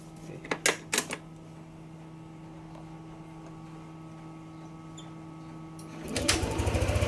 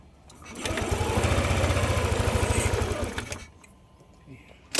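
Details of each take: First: Yamaha NMAX 155 V2 after ECU reprogramming, TPS reset to 0.0 and error codes cleared; earlier abnormal idle and stalling gone. Catches and settles into steady, even single-cylinder idle, about four beats a second, no hunting or dying; ISC on target. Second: Yamaha NMAX 155 V2 with hard starting and stalling, running on a manual IAC; idle rises and falls like a wave, pulsing low throb swelling and fading over a few seconds. Hunting idle; throttle body leak checked by covering IAC hole.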